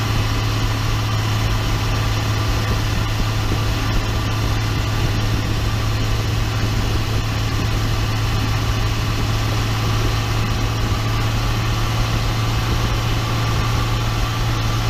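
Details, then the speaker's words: 2012 Ram 2500 6.7 diesel, 110,000 miles, after swapping noisy G56 manual transmission for a rebuilt one: even, smooth drone under load, no whine, grind or clunk; noticeably quieter, healthy transmission. "it's definitely quieter it was the one that I pulled out you could hear you can hear inside of the Walmart it's just it was louder so it's definitely quieter now"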